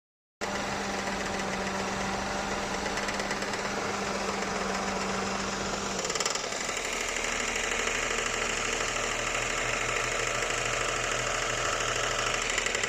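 Uneven tapping knock, roughly three per second, rides over the idling engine and shifts tone partway through; the cause is unknown.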